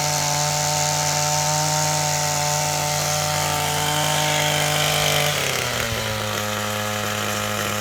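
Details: Old, worn Echo SRM-225 trimmer with replacement eBay carburetor, run without air filter, owner suspects low compression: high buzzy two-stroke note holds at speed, then drops cleanly to lower idle after five seconds; runs smoothly.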